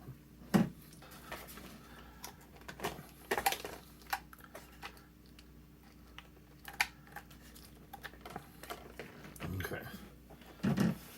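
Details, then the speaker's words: Old IDE hard drive on an intake test bench spins up with a faint steady hum but makes irregular sharp clicks and ticks every second or so, activity light stuck on, no jumpers fitted; drive appears to be failing, cause unconfirmed. "That does not, whoa, that's quite a noise. It does spin up though. Yeah, it's making a noise so it spins, but, huh?"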